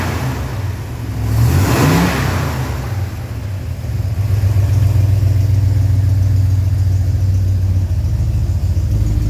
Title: Zweiter Testlauf, der Keilriemen quietscht nicht mehr